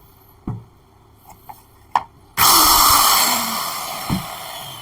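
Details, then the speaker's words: Maktec (Makita) 7-inch circular saw that would not start, tested with blade removed: a few clicks, then sharp high whine spinning up smoothly and coasting down evenly, no sparking seen; motor runs normally. "เราก็จะมาดูประกายไฟนะครับไม่มีประกายไฟขึ้นนะครับแสดงว่าใช้งานได้ตามปกตินะครับ"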